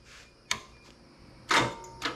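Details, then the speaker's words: 440 engine on a run stand, start attempt with makeshift wiring: sharp isolated solenoid clicks with no cranking; starter tries to engage but lacks power, suspected poor battery cables, ground or crimp connections, possible starter binding. "there it tried to engage yeah it tried but it still didn't have the UMP no yeah see it's not engaging because it's not firing"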